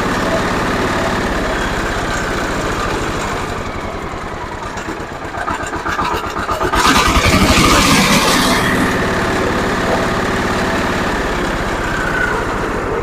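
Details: Zubr walk-behind tractor (motoblok) single-cylinder engine after reassembly with the oil and water pressure sensors fitted and oil pan cleaned. Steady thumping at about four pulses a second with a brief rev; runs clean and healthy.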